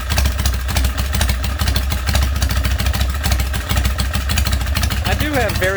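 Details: Harley big twin Springer bobber with hand shifter/clutch and fuel pump, rear exhaust fitted with small baffles because it was too loud before; deep, loping potato-potato idle with steady firing pulses and throaty exhaust, even and healthy; normal idle.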